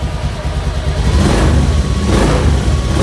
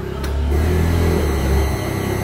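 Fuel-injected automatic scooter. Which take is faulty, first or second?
second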